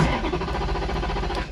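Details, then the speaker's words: Wrecked Ferrari 430 Scuderia after a five-minute battery reset, fuel warning light on despite fuel in the tank, F1 pump heard running. Steady starter cranking for about 1.5 seconds with no firing: cranks but won't start. "we got movement not firing up mate uh I could hear the fuel pump going for the F1 system it's not fuel pump you can hear the F1 pump going mate uh that is odd"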